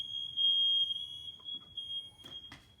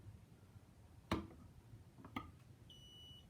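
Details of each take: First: Interconnected ionization smoke alarms during a test: a steady piercing high tone for nearly two seconds, then fading. This unit itself isn't ringing, but it's interconnected. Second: Interconnected ionization smoke alarm on test: two dull knocks, then a thin high beep of about half a second, barely audible; the sounder seems to be slowly dying and likely needs replacing.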